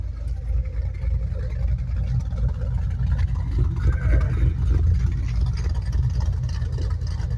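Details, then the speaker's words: 2008 Ford Mustang Bullitt V8 bought from a salvage auction, at idle: deep, heavy rumble, louder and boomier than a stock exhaust should be; loud exhaust at idle. "Pretty loud exhaust."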